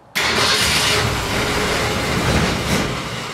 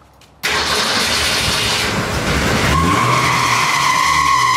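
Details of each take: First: 1965 Ford Falcon after the steering column and shifter were readjusted: the starter churns roughly and unevenly but the engine doesn't catch, because the accelerator wasn't pumped to prime the carburettor. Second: 1965 Ford Falcon after the steering column and shifter were readjusted: the starter churns about two seconds, then the engine catches and settles into a steady idle, a normal start.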